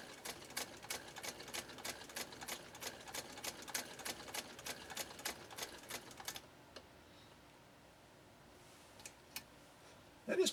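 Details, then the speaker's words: 1922 Singer 99K hand-crank sewing machine, all-metal body, sewing while being cranked. Quiet, even ticking of about three to four stitches a second with only a slight soft hum, then it stops; smooth, healthy stitching. "quiet don't you think you can hear just a little bit of a hum but it's not a loud hum it's not a an obnoxious type hum it's just a hum"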